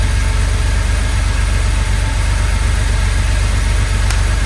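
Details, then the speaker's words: 1982 Porsche 911SC Slantnose, sat 20+ years, after a CIS tune-up (cleaned fuel distributor, new plugs, new fuel filter): a smooth, even low burble at idle with a steady pulse, no misses or knocks; it now sounds good. "Oh, come on. That sounds good. Man, that sounds good."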